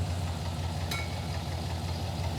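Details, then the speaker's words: Lumpy, stumbling V8 idle running on six cylinders, with at least one dead cylinder on one bank. MSD plug wires measured within spec, and dead plugs were also suspected. "got a at least one dead hole over here yeah yeah this is not happy over here yeah the engine doesn't run right it's running on six cylinders"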